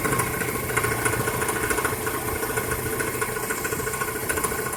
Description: 1999 Toyota Corolla - rattling timing chain